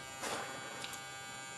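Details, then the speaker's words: 400 W HID/HPS grow light just switched on and heating up: steady, thin electrical buzz with a faint hum, louder than before; owner hopes it fades as the lamp warms up. "Okay, we just turned it on. It's heating up right now. Okay. Now you can hear the buzzing. And it wasn't that bad before, I could swear. Hopefully it'll kind of warm up and go away."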